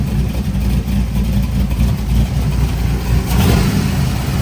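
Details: Buick Grand National being tuned: revving under load sounds lumpy and uneven, with stumbling low pulses instead of a smooth pull. The misfire was traced to faulty ignition coil packs.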